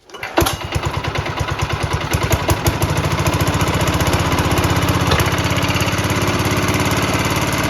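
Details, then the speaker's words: 1968 Sears Suburban 12 diesel, first start attempt after finishing intake and exhaust, full throttle with decompression lever: catches on third pull, then uneven chugging and stalls; little fuel in tank, janky fuel line, air in line suspected. "well that's promising it's not quite there yet but I didn't put a lot of fuel in this and the fuel line is kind of janky so I may need to put more fuel in but it started on the third pole so that's definitely promising"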